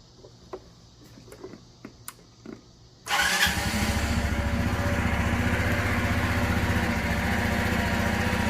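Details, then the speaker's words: 1984 Honda Elite 125 (CH125) scooter just after an iridium spark plug upgrade: quiet clicks, then it catches and settles into a steady, even putter at a quick regular beat, sounding much as before. Normal idle. "sounds about the same as what i'm used to hearing"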